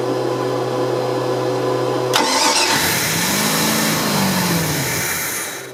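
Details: OMC 5L boat engine, fuel inlet hose fed from a jar of gas to rule out tank restriction: starter whirs, the engine catches and revs briefly, then sags and dies within seconds; starts then stalls, cause still undiagnosed.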